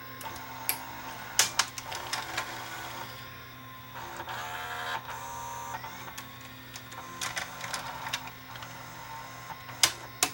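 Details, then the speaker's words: Sony SLV675 VHS Hi-Fi VCR front loader: irregular clicks and brief motor whirs as it binds and rises at an angle. A cracked gear stops the front loading mechanism working properly; the motor gear was cracked and glued. "this Gear's got a crack in it too no wonder the front loading mechanism is not working properly"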